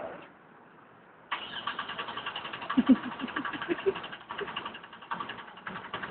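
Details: Taxi cranks steadily and rapidly for about five seconds but never catches and runs; crank, no-start condition.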